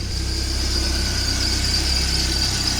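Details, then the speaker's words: Car engine at idle, accessory belt not replaced, tensioner replaced earlier, oil on belt and pulley: constant high-pitched squeal over steady idle as the oil-contaminated serpentine belt slips on the pulleys. "叽叽叫，那个就是皮带伤涩，因为皮带张力器换先的咯。啊，我皮带无换，内底铺里的部分有那个油，迄尾还个洗洗。"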